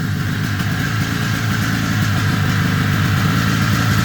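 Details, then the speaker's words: Ski-Doo 377 two-stroke snowmobile found in a field, running after repair: steady burble idling evenly with a slight rise toward the end, no misfire or sputter; normal idle. "Let's try that again. That sounded great, didn't it?"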